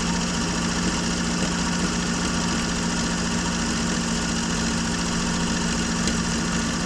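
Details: Normal idle of a 1965 Jeep Wagoneer original 3.8 L 230 cu in overhead-cam six, first run after 20 years sitting, following valve setting and an earlier flooded carburettor: steady, even hum with a low drone, no knocks or stumbles.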